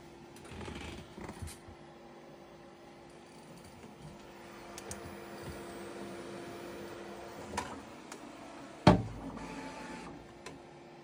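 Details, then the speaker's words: Bambu Lab P1S 3D printer at print start: steady motor hums with a few sharp knocks during the normal calibration routine, louder than the print itself, where mostly the fan is heard. "I mean, you saw the first part. It was calibrating. It was loud, a little loud there."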